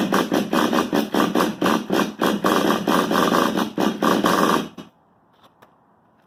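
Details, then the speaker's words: XTM X Factor nitro rock crawler with a new XTM 24.7 engine, still untuned, possibly not warmed up: choppy surging bursts about twice a second, then it dies to silence, cutting out repeatedly. Needs fine-tuning; cause not confirmed. "ah yeah so you can see it just um cuts off a lot so i'm going to have to do a lot of fine-tuning"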